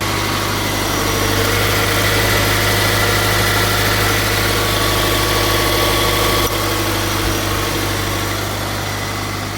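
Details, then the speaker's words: Subaru BRZ / Toyota GR86 / Scion FR-S after belt tensioner pulley replacement: even, smooth idle, steady low hum, no belt squeal or chirp; the squeal had appeared on cold days and mornings. "All right, so I don't hear any squealing, but really I heard that on the cold days and in the morning."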